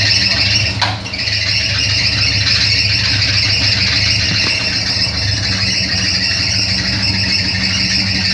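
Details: Chevrolet Opala Coupe at idle, before belt replacement: loud, steady high-pitched squeal sits over the idle the whole time without letting up. Slipping accessory belt squeal.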